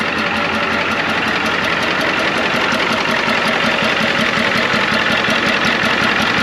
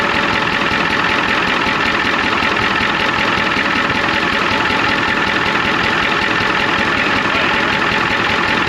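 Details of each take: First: 1993 Ford F-250 IDI diesel idling with even, regular clatter after a leaking return line was fixed; a slight miss was noted afterwards. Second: 1993 Ford F250 IDI diesel at idle with injector line cracked: heavy clatter and uneven lumpy beat; one injector found super loose, squirting fluid back out, causing the rough idle.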